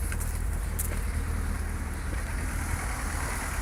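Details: 2001 Seat Leon 1.6 16V 105 hp (AUS engine) at idle: low uneven stumbling beat with no clear mechanical knock; engine misfiring at idle, cause not yet pinned down.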